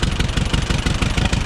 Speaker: let's see if it starts his burbles wave actually runs pretty good